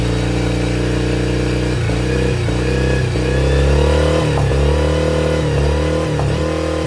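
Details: Yamaha T50TLRD 50HP outboard after head decking and new head gasket: revving with uneven beat and repeated dips as revs rise; missing on one cylinder.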